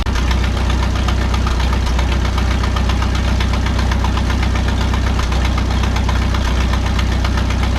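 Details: 1951 Farmall M tractor warming up: steady idle with fast uneven intermittent knock about three per second, newly noticed, source unknown; hesitation and sputter seem fixed.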